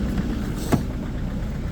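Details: Citroën/Peugeot 2.0 HDi diesel, extreme cold start at -13°C after standing all day, three 20-second glow-plug preheats; hard clattery knock over low rumble with one sharp crack and heavy smelly diesel smoke, then it catches and warms up.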